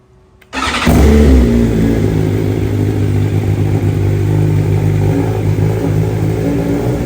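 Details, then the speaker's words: 2023 BMW M1000RR Competition, modded exhaust, after ECU flash, start then warm idle: steady low idle with even beat, quieter than stock, no raspy popping, slightly more jumpy than stock; normal idle. "really sounds good now doesn't have that crazy raspy sound that pops now just has a nice low idle"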